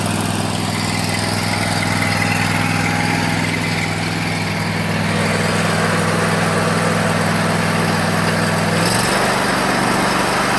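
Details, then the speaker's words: Bradley riding mower with a new original-type deck belt tensioned to about an inch of play, blades engaged; steady even engine drone with smooth blade hum, no slipping, squeal or knocking: normal running. "And guys, if you know anything about lawn equipment, when I turn that on, you know how it's supposed to sound. And that's it."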